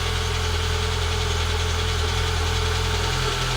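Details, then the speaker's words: Citroen ZX Avantage 1.4i TU3 petrol, right after its first cold start in about six months: steady, even idle with a smooth low hum, no knocks or stumbles, no warning lights; normal idle. "And there we go. No warning lights. You think that had just been started yesterday?"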